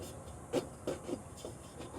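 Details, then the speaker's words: 1981 Ford truck after an engine fire, idling: light scuffing ticks about three times a second as fan blades hit the fire-melted fan shroud; cooling fan contacting shroud. "it got the fan shroud melted this. You can hear the fan uh"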